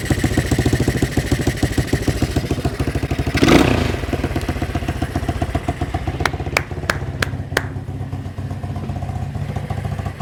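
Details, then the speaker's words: 1980 Honda XL185S single, run after sitting decades, choke off with idle turned up: even steady thumping about three and a half beats per second, no misfires or rattles; sounds good, normal idle. "Let me see if I can turn this guy up. Turn the... Boy, turn this guy up. Oh, that sounds good."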